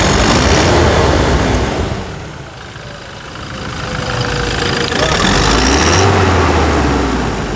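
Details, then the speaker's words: New 2021 Toyota Hilux single-cab 4x4 diesel: steady, even idle with a brief rev midway, smooth clatter and no knocks or misses; normal idle. "Vamos lá a melodia do motor novo da Toyota vamos lá então ó E aí"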